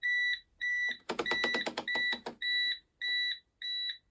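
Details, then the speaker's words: Bosch WFP3300 washing machine on first test wash after motor control board smoked, back off: stalled after 5 minutes, high two-tone beep about twice a second with a clatter; fault alarm, owner suspects fault 03 is the drain pump. "So it sat there for 5 minutes, and almost as soon as I walked away, it started beeping at me."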